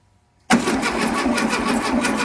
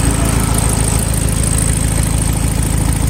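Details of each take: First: 1972 VW Beetle that sat over three months in the Seattle rain, first start attempt after charging the battery for 3 hours: steady cranking at about four or five turns a second that never fires. Suspected too wet to ignite, no spark; the engine isn't seized. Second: 1972 VW Beetle air-cooled engine, first start after sitting months in wet Seattle weather, battery charged three hours, starter fluid used: steady chuffing idle about three pulses a second, even and unbroken; running cleanly.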